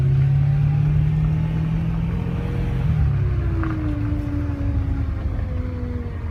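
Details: BMW E92 M3: strong low hum with whines sliding in pitch as revs change; owner suspects power steering fluid or filter, origin unconfirmed.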